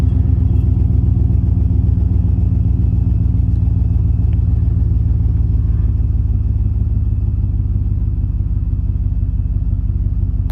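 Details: 2014 Chevy Suburban V8 at startup and idle with a loud, deep, rough open exhaust rumble; thieves cut the pipe at the resonator during an attempted catalytic converter theft, leaving no resonator or muffler.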